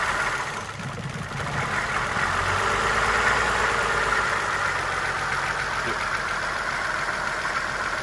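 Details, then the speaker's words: Suzuki Verona with the EGR solenoid driver wire grounded to force the EGR valve open: the idle wavers and stumbles with an uneven, lumpy pulse under the engine hum. This rough idle is from exhaust gas recirculating through the open EGR. "So with testing the EGR, we pretty much grounded the driver wire for the solenoid on the EGR valve itself, and saw that the engine had a rough idle and kind of stumbled."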